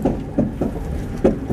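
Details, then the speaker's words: Car rolling downhill after it died: uneven heavy thumps about every third of a second that the driver thinks come from a tire; cause unknown, oil found on the ground afterward. "My tire. What's wrong with it? Uh-oh. I don't know what that is. It sounds like my tire."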